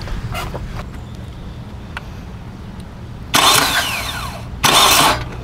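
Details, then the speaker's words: Hyundai with a no-crank complaint, starter jumped directly at the motor: two brisk, fast, even cranking bursts of about a second each; the starter is good, and the fault is a bad, broken connector or cable end at the starter. "nope there nothing wrong with the starter down there so it's just the the connection on the starter itself"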